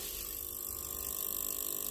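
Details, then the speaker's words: Old storage heater, about 20–30 years old, first switched on for the season: a faint, rapid, even ticking ratchet builds inside after switch-on. It persists after hoovering out dust and cobwebs, cause not found and likely needing service. Ratcheting noise. "is making an annoying noise we have sucked out a lot of dust and cobwebs and fluff but it's still making that noise so I think in all probability we need to get somebody into service it"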